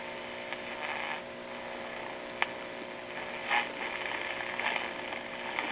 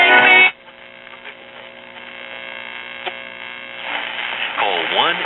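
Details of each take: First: RCA tube radio with a Voice of Music record changer, after the loop antenna was remounted away from the chassis: only a faint steady mains hum with small crackles. The earlier motorboating, oscillation and squeal are gone, so the radio now runs normally. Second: RCA tube radio/record player with VM record changer connected, loop antenna dismounted and remounted on cabinet back: steady buzzing hum under faint crackle, then wavering whistles near the end; humming and picking up interference, cause suspected, not confirmed.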